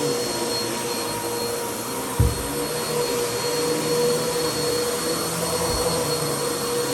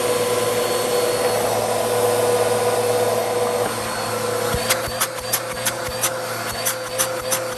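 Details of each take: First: Bissell CleanView vacuum after its bad motor was replaced with a used donor motor: smooth, steady high whoosh at constant pitch, much quieter than before, no grinding or rattle, brief handling bump; motor healthy. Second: Bissell CleanView vacuum, original motor before replacement with a used motor from a donor unit: loud steady roar with strained, uneven edge and rapid ticking about three per second, worn near-failure sound; bad motor, quieter after replacement.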